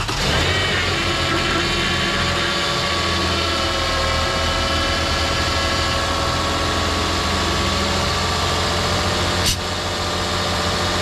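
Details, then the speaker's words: Lexus RX 330 3.3 L after power steering hose replacement and air bleeding, cold morning: smooth steady idle with an even hum, no squeal or whine from belt or pump; quiet, though an oil leak remains unlocated. "It should be good now. Nice and quiet. All good, no noise on the belt, and still concerned about the oil."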